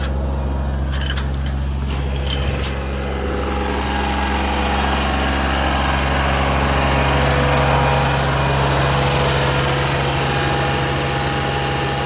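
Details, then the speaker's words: Genie boom lift, hydraulic-pump-driven onboard generator switched on from the basket with machine running: steady diesel idle, a couple of clicks, then engine note rises and settles higher; normal speed-up as generator load comes on. "It's off now. When you turn it on, you'll hear it rev up"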